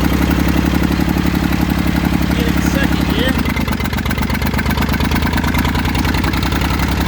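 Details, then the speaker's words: Massey Ferguson 35 three-cylinder diesel, seized 20+ years in the woods, tow-started in third gear high after the starter failed; it fired after about 300 yards of building compression and heat. Deep, steady chug at slow idle with a firm, even beat, no knocking: normal diesel running. "It took it about, I don't know, 300 yards to build up enough compression and heat. And it finally started popping off."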